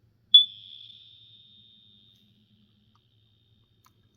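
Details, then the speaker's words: BRK 4120 AC-only smoke alarm during unboxing and test: one sharp high chirp ringing off over about two seconds, then a faint click; cause unconfirmed, suspected low-power chirp. "guess it was chirping at you for low power."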